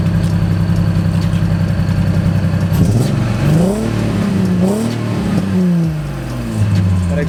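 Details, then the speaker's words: Infiniti G35 VQ engine, first start after new test pipe install, heard from rear; blipped revs, loud raspy exhaust with a puffing edge rising with throttle; exhaust leak, owner suspects the flex joint. "we're still going to go through that exhaust leak is freaking ridiculous like where's it coming from i think it's coming from that freaking flex joint man"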